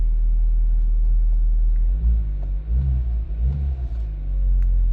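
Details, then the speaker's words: 2011 Audi A5 2.0T after repairing P0016 timing fault and long crank/no-start; steady idle with clean throttle blips, no knocks or rattles, P0016 gone, only an ambient air temp sensor code remains. "It's idling smooth, no, nothing. Wow, this is crazy."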